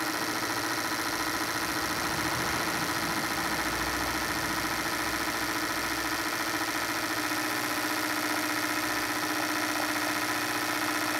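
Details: Hyundai Santa Fe 2.7 V6 that had been misfiring and smoking heavily, after its fuel injectors were replaced: steady, even idle with a smooth hum and light valve ticking, no stumbles or skips. It now runs apparently normal.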